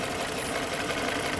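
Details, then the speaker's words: 2013 Jeep Grand Cherokee 5.7 V8, about 160,000 miles, valve cover previously off with a bolt missing, water pump recently replaced: busy fast metallic clatter over idle with no clean gaps; top-end valvetrain clatter, unhealthy. "Yeah, we were just told a water pump was put on. >> Yeah. I mean, this doesn't sound healthy."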